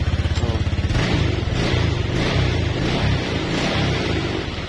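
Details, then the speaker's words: Older Honda Vario 125 injection scooter that would not electric-start although the fuel pump hummed: with the ignition-switch wire jumpered, the starter whirs briefly and the engine settles to a steady low idle; black key-switch wire suspected faulty. "Nah, dia mau hidup, Guys. Sebentar dia mau hidup, ya."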